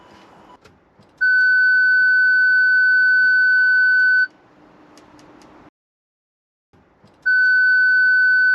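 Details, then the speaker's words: Range Rover Sport L320 rear parking sensor speaker, original unit refitted, tailgate hatch open: loud steady high beep about three seconds, a pause, then it repeats; the speaker works fine and is as strong as on an L322. "I don't believe there's anything wrong with that speaker. I think the speaker's fine. It certainly sounds as strong as the one from my L322."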